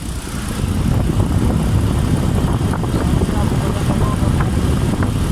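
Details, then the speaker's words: 2018 Kia Carnival van: AC condenser fan, which was not running, is wired directly to the battery through its relay and spins up with a steady low whooshing hum and even airflow, no rattle. The AC panel signal to the auto fan relays is missing; fuses and relay current are fine. "आप देख सकते हैं ये AC का fan है और वो चल रहा नहीं है, पहले साउंड आ रहा था। अब मैं इधर बैटरी पे वायर लगाऊंगा और आप साउंड फिर सुनिएगा, फ़ैन चालू होगा।"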